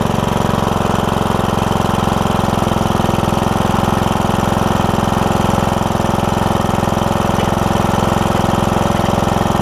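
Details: John Deere E100 with 17.5 hp Briggs, 80 hours, hard starting from a bad camshaft, after a new camshaft: quick, regular single-cylinder putter, steady and even; started right up, normal idle.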